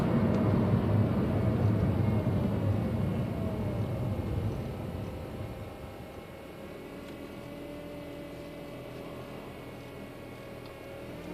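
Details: 2006 Honda Civic while driving: a steady mid-pitched whine over road rumble, clearer as the car slows.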